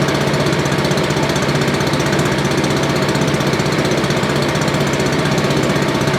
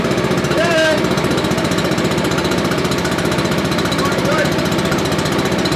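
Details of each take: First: Billy Goat leaf blower, Briggs & Stratton 9.5 hp single found headed to scrap, sooty plug, low compression, slightly choked: steady even beat at constant speed, no misfire or backfire, running properly. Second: Billy Goat leaf blower, Briggs & Stratton 9.5 hp engine, cranked with starting fluid: steady chugging at about four beats a second that never fires; cranks but will not start, suspected worn carburetor, ignition or valves.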